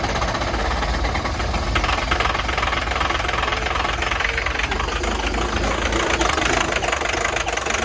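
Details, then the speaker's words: Power Stroke diesel truck cold-starting at about -16° with no glow plugs, warmed by a hair dryer and given ether: rough, struggling running with sharp irregular pops and clatter as it tries to catch, then RPM comes up. "pop oh my wa dude it keeps popping it was running dude I think it's going to go"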